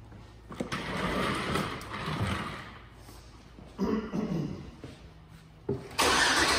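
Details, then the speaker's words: 2004 GMC Sierra 1500 5.3L V8: it idles with an irregular stumble, a misfire traced to a bad spark plug wire. The wire, probably on cylinder five, had chafed on the steering shaft, burned through and was arcing; the coils tested good. "now all right so get fire back up here we should be seing those misfires are number three sure enough there we go number five cleared up these the ignition wire coils good that wire is bad"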